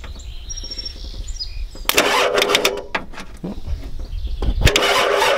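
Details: 1993 Ford F-250 7.3L IDI diesel with new fuel pump, bad starter and cable ends, and fuel leaking back toward the tank: bursts of rhythmic cranking at about four beats a second; engine never fires, cranks but won't start.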